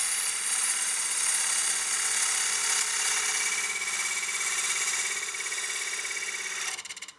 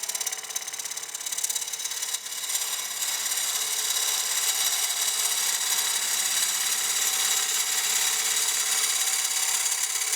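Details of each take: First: Wood lathe push cut on a partially seasoned walnut bowl after adjusting the tool rest for more tool support: a smooth, even, high hiss holds steady with no chatter, then stops, a clean cut. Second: Lathe turning a partially seasoned walnut bowl. A harsh, high buzzing rattle of two or three pulses a second sounds at the corner. The tool is chattering because it extends too far past the tool rest.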